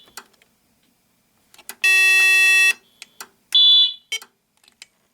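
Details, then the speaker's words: Alertek i8005 fire alarm panel with extender module: relay click, then two loud steady high alarm tones return after reset attempt; panel won't reset from alarm, known bug in the extender. "reset that crap I forgot shoot there's I I totally forgot about the bug it won't reset from alarm it's a little thing I to fix on The Knack"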